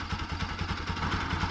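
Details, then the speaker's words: Bajaj Pulsar (Rouser) NS 200 after repair of a faulty stator that had caused engine noise: a steady, even idle with regular firing pulses and no knock or clatter; the noise is gone. Normal idle. "pero bueno el punto es que está arreglada la moto y era el estator ahora ya no hace más ruido"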